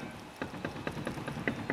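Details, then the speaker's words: Raised front wheel rocked by hand: light clunks about four a second from free play at the hub, up-down and side-to-side, while the other wheel has none; worn front wheel bearing. "and noise there and give you some idea the other wheel absolutely nothing up and down that's how you tell if your wheel Bone's gone you get movement up and down and side to [Applause] side"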